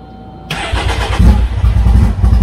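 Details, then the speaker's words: EVO engine, first fire-up after installing 3RI injectors and a wastegate, on the wrong tune. It catches and stumbles with a heavy, uneven low rumble: very rich, as expected until tuned, with no fuel leaks. "she's rich she's rich she's very very very very rich we had open this very rich so we probably don't want to do that again"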